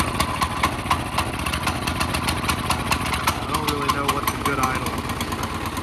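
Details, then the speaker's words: CT200U minibike on a stand after the Stage 1 kit, cone filter and jet change: loud, uneven running with a ragged patter of pops and ticks and lots of smoke, possibly backfiring. Rough running, cause suspected. "Oh, that didn't used to do that. That probably isn't running exactly right. Wow, that's a lot of smoke."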